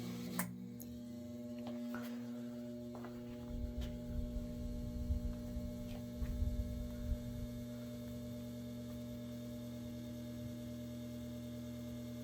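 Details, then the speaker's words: Westinghouse 12-inch table fan, late 60s/early 70s, two-speed shaded pole motor, plastic blade, running stationary: steady low electrical buzz with firm hum and a few light ticks; the motor is quite buzzy. "motor is quite a bit buzzy and definitely go and let it coast"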